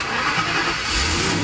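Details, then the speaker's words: 2005 Lincoln LS 3.9L V8, towed in with crank-no-start and repeatedly blowing fuses, cranked with jump pack: engine catches and runs unevenly for a moment, smelling rich with smoke; brief start after no-start, cause not confirmed. "here we go what and it started up for a second try it again"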